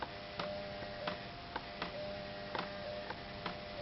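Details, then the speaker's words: CoPilot coder start-up, purge button pressed 15 times to force ink through the print head and clear storage fluid or old ink: short dry ticks after each press about every half second over a faint hum, purge pump cycling normally. "So every time we push that, okay, we see the ink flowing."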